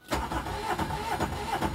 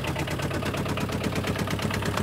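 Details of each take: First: 2009–2011 Aixam Mega Multitruck small diesel van: the starter churns evenly for two seconds but the engine never catches; a repeat no-start, cause unknown (owner wonders about a plugged-in socket device). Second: 2009–2011 Aixam Mega Multitruck, about eight years old, with a replacement Kubota Japanese tractor-type diesel after the original blew: loud, fast, even idle clatter at a steady rhythm; noisy but normal.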